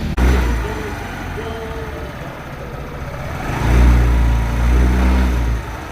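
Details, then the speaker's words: Yamaha Alpha scooter idling with a hollow, uneven knock under the exhaust that swells as revs rise; piston slap from the piston moving in a worn old cylinder. "ആണ് സംഭവം അതിന്റെ പിസ്റ്റന്റെ ഒരു sound വരുന്നുണ്ട് ആ sound എന്താണെന്ന് നിങ്ങളെ കേൾപ്പിച്ചും കൊണ്ട് അത് എങ്ങനെ നമുക്ക് ആ ഒരു പ്രോബ്ലം കണ്ടുപിടിക്കാൻ സാധിക്കും എന്നുള്ള ഒരു കാര്യമാണ് ഇന്നത്തെ വീഡിയോയിലൂടെ നമ്മൾ പറഞ്ഞു തരാൻ വേണ്ടി പോകുന്നത്."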